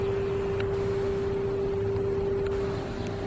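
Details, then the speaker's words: Radio Shack Concertmate 970 keyboard, reassembled and on mains power: a steady low buzzing hum from the speakers, absent on battery power. Speaker hum from a weak power supply filter capacitor. "okay it's all together all the dirts been cleaned off it and guess what that sound came back I can barely hear it the air conditioners over there"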